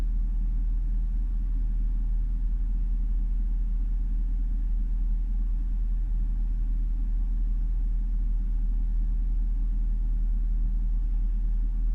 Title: Jaguar XFR rough idle warm engine